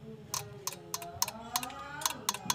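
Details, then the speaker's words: Toyota Kijang that won't start: the carburetor's automatic cut-off solenoid is wired directly to battery positive with the engine off. It gives crisp, repeated metallic clicks, so the solenoid is still working. "ya oke masih hidup berarti tidak ada masalah pada otomatis karburatornya"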